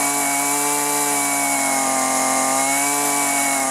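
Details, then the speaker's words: Husqvarna 128LD string trimmer, after replacing rotten leaking fuel lines and fuel filter: crisp, even high-pitched two-stroke buzz at steady speed, no surging or bogging; running well before low and high carburetor adjustment. "all right beautiful and it's not running that bad but i'm gonna go ahead and take our carburetor adjustment tool adjust the low side first and then the high side"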